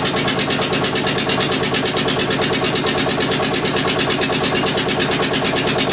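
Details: Witte single-cylinder diesel generator, unstarted 45 years, refilled with water and three gallons of oil: fast even chuffing at steady speed, no misses or knocks; engine runs fine though generator puts out only about 2.5 V versus ~64 V expected.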